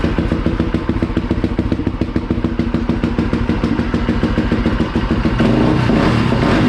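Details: Polaris Predator 500 single-cylinder, rebuilt basket case with aftermarket DG exhaust: even crisp thumping at about 3.5 beats per second through loud exhaust, rising slightly near end; normal idle.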